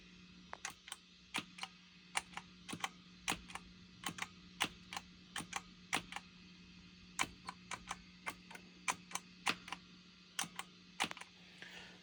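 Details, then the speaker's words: Moen GEC8 Jr switcher with no patch or input cables, only the output to the amp: sharp pop with each footswitch press over a low amp hum, despite its pop-cancellation circuitry. "as you can hear if I touch the pedals you can you can still hear a pop"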